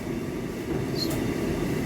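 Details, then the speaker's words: Hotpoint/Ariston dryer at startup: small, low steady rumble with rough uneven texture as the drum turns; it becomes a loud friction noise after 10–15 minutes of running. Cause found: broken main drum shaft, repaired without a new drum. "It's not the huge noise, but small noise coming from the beginning also."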